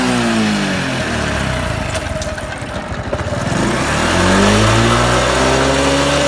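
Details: Honda Super Cub 110 JA07, fuel-injected, fully stock, start-up check: the single revs up and drops back cleanly, pitch rising and falling smoothly with no knocks or rattles; normal revving with no abnormal engine noise.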